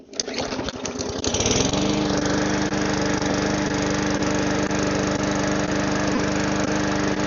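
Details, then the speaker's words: Lawnmower engine that had sat for a while, restarted after primer use with the spark plug refitted and the old air filter still on: catches after a few pulls and settles into a steady, even single-cylinder drone with no misses or surging; normal running. "Alright, runs. It runs."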